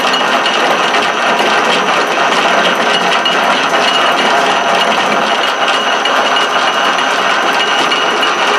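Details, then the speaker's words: Southbend 13-inch single-tumbler lathe after brazed sliding gear shaft repair and detent spring replacement, lever disengaged so only internal gear noise heard: steady even gear whir with light mesh chatter, no clunks or skipping; normal gear train running. "actually not bad that I just disengaged my actual lever here so the only gear noise that we're getting is from inside here that's not too bad considerin is all over here"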